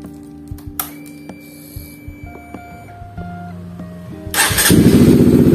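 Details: Honda CBR150 FI (Thailand) single after a long-overdue tune-up and throttle body cleaning: clicks and cranking, then it catches at once and runs up to a steady, even idle with no hesitation.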